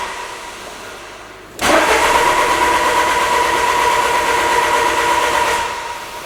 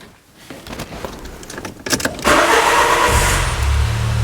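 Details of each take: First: 2000 Peugeot Partner with a brand-new Bosch crankshaft sensor fitted: steady even starter churning for about four seconds with no firing; cranks but won't start, it ran on the old sensor. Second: 2000 Peugeot Partner with a crank no-start, after the crank sensor was swapped for a cheaper ERA sensor in place of the Bosch one: a quick starter whir, then a clean catch and a smooth, even idle with no hesitation.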